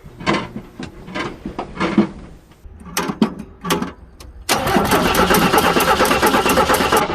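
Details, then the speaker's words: Jeep CJ7 4.2L straight-six, cold, first start with new MaXpeedingRods replacement carburetor replacing a Weber: a few short cranking bursts, then catches cleanly into a steady, even run; owner says never ran this good; normal start. "wow that's never run that good and i'm not lying holy cow i'm talking rattle response even when it's cold the thing never had that type of response"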